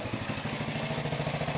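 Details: Rebuilt small single-cylinder go-kart engine on its first start after the rebuild: it pops at an even rate of about ten beats a second with no skips or rattles. Normal, healthy running.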